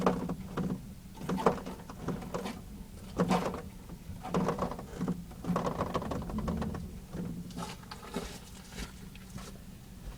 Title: Creaking noise when turning